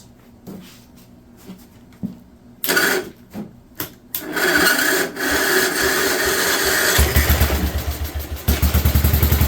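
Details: 1958 Wisconsin AENLD engine, revived, muffler fitted, fed from a fuel bottle: a few coughs and false starts, then a steady even popping beat with no misses, choke coming off; normal running.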